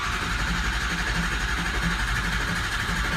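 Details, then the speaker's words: Diesel that had no base oil pressure (low-pressure regulator found stuck) and was a no-start, first start: rough running with irregular pops about four a second, seemingly from the intake. The tone changes once oil pressure comes up; cause unconfirmed. "sounds like it's popping out of the intake yeah I could hear the tone change when we got oil pressure"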